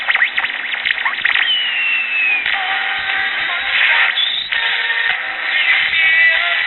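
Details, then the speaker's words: Early-1960s Bulova pocket transistor radio, powered directly: weak station under wandering whistles and squeals across the dial; transistors likely good, owner suspects aging early Japanese electrolytic capacitors; oscillation and whistling. "pretty much all I get across the dial besides that is a lot of whistling and oscillations"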